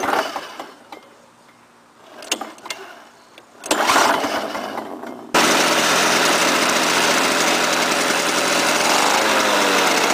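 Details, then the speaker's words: Lawn-Boy 5127 two-stroke mower, first start after 10 years in a shed, on choke with a fouled plug replaced and gas squirted in the intake: catches after a few pulls and settles into a steady, even buzz with no stumbles. "all right hey runs man in Canada you know foreign coil is not that bad I did have to squirt some gas in the intake but not about for 10 years"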